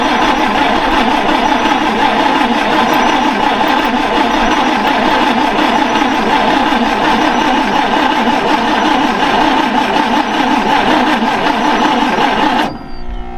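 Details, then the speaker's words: Ford Falcon Ranchero being revived, brand new fuel filter fitted: engine runs steadily but ragged and uneven for over twelve seconds then cuts off; rough running, owner suspects carburetor needs rebuilding. "It's a brand new fuel filter, but I'm pretty sure the carb is needing rebuilt."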